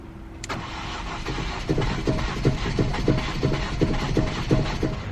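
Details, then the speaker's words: Ford Focus, long-sitting: starter whirs then uneven chuffing pulses, runs a second or two and dies; owner blames long time unstarted, cause not confirmed. "it was that split second it started it ran for a little bit and then it died within like a second or two"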